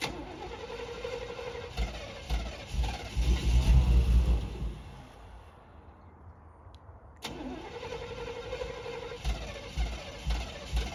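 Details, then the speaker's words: 1990s Chevy 350 5.7 V8 campervan: starter cranks in rhythmic pulses, stops, cranks again, never catching; crank no start traced to fouled spark plugs. "And as you all can see, cranks over, but it won't start. And I know it got to be a simple fix."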